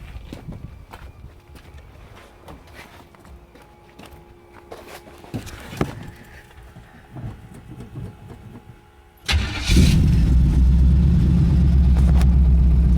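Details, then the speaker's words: Pontiac Strato Chief with new homemade exhaust, choke engaged: steady fast cranking at about two and a half beats a second that never catches; owner suspects it is out of gas. "again honestly it might be fully out of gas I don't know I think I'm out of gas that's annoying"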